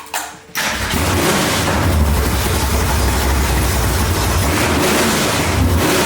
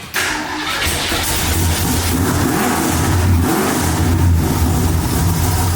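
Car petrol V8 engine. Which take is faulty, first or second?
second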